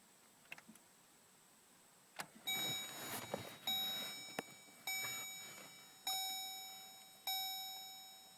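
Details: Chevy Colorado intermittent no-start: repeated chime tones with a clunk at each key turn, about one a second, but no crank; GM won't fix it, cause unknown, and it later starts.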